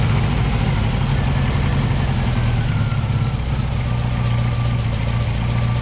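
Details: Green Porsche 914 with a newly installed 2-liter motor: deep, even low idle with no knocks or misses. Much improved, though idle may need raising; could be idle or timing.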